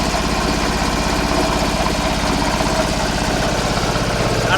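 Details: Stationary engine from an auction lot (plate says '45, possibly 1945, uncertain) running with a slow, even, unlaboured thump of about four beats a second after easy start; owner worries it smokes a lot and may burn oil, oil pressure apparently building; sounds normal.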